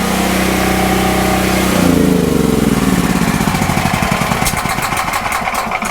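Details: Westinghouse 7000W (8500W peak) generator, about 10 years old, converted to propane with a US Carburetion snorkel kit. Steady even hum for two seconds, then the note drops and slow pulses fade as it coasts to a clean stop at normal shutdown; hot before an oil change.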